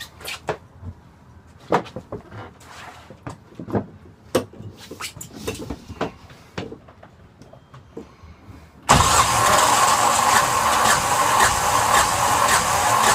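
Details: Yanmar SB12 marine diesel, cold day (about 41°F), after bleeding the line at the fuel injector: scattered clicks then steady loud cranking that never fires, air in the fuel line starving the injector.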